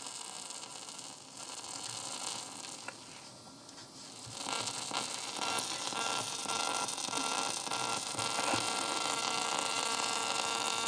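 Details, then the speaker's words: Sony WM-190 Walkman cassette player with a new belt and original spent or leaking electrolytic capacitors, at maximum volume: only hiss, crackle and a low hum with no program sound, from the failing capacitors. "This is all because of the capacitors. Can you hear that? And the volume is to the maximum. Is all because of the capacitors."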